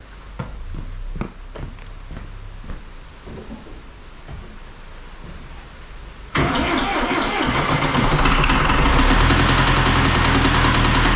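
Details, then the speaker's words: Second-hand diesel engine in a John Deere 2140 tractor: slow cranking thumps, then rough running with a heavy rhythmic knock; a connecting rod was thrown, damaging the cylinder block. "You just thrown a roll. Holy moly! Whoops. That would have been alright. That's why you're knocking."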